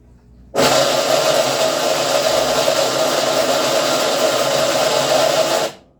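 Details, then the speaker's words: Top-load washing machine on spin cycle: loud, steady rasping and scraping roar, cut off abruptly. Cause not yet confirmed; a 13 mm wrench fix is expected. "ela tava raspando muito fazendo um barulho muito forte na hora de cugar"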